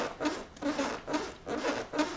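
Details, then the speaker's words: 450MT motorcycle short seat latched down with its rubber caps removed: scuffing squeak about twice a second with each push as the seat moves down and rubs against the tank. "Now if I push down here, you can hear a lot of movement. That's the rubbers at the top here rubbing against the tank."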